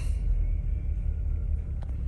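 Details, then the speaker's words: 2016 Chevy Cruze 1.4L Ecotec turbo run low on oil, reduced engine power message: deep uneven lurching idle, engine shaking; rough running from damaged VVT solenoid and camshaft sensors. "so let me show you guys how it sounded at this particular moaning it sounded terrible there it is man this thing is island some serious has a sporadic idol to it look at that"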